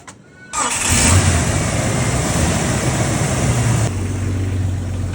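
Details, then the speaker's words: Jeep with a crank-no-start fault: PCM not controlling the ASD relay, so the relay is manually grounded to power the injectors. A short crank, then it catches at once into a steady, even idle; only a temporary fix, the computer is faulty. "Okay, my friend. Start it up. You're going to see it starts."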